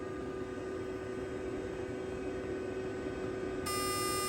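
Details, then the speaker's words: 2013 Nissan Sentra AC compressor control (solenoid actuator) valve tested off car on bench power in manual mode: steady electrical hum whose pitch shifts, buzzes differently than new valve, which buzzes from about 20–22; faulty valve, coil out of spec. "ah listen yep there was a it just shut off now before it was on when i was doing this test uh now no it's just humming at a different frequency"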